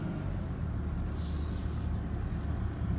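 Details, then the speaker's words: 2008 Volvo XC90 with a Haldex AWD system, driving after the CV joint/driveshaft was replaced. Only a smooth, low road rumble is heard, with the earlier clanking, clicking and suspension noise gone, so the drivetrain sounds healthy. "So my all-wheel drive is back. No more click sound. The suspension noise is gone too."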